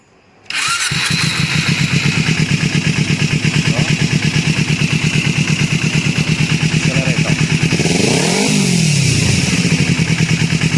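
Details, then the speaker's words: Kawasaki Ninja 250 after replacing the cam chain tensioner to cure engine noise: engine catches and settles into an even, steady beat with a clean rev, no timing chain ticking or rattle; repaired. "serviço finalizado aqui a motoca ficou boa toda"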